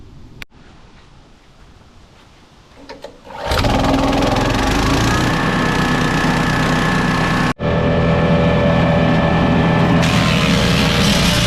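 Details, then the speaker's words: Dorite 7hp 4-inch capacity wood chipper bought at auction: small engine fires and settles to a steady roar, holding speed as a branch chips through quickly; normal chipper operation. "And you can see how quick that was. Again, you don't want to put too much in here to clog it up. And you can see how nicely it broke it down."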